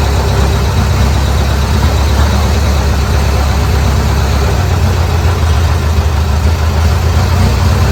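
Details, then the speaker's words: Old Bobcat 610 skid steer, Wisconsin engine after freeing a stuck exhaust valve: deep steady idle with slight uneven throb, running only on almost full choke and won't throttle up; hydraulics work but bleed off a little. "that's on almost full choke to get it to run that good right there, and it won't throttle up."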